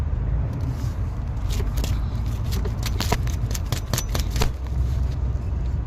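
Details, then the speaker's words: 2014 Chevy Suburban with a grinding noise: hand-spun alternator with belt tension released gives an uneven gritty rasp with ticks, louder spun the other way, no play. Bearing wear suspected, not confirmed. "So, if I spin it the other way, it'll make more noise. No really no play. But usually it's the bearing that's wearing out"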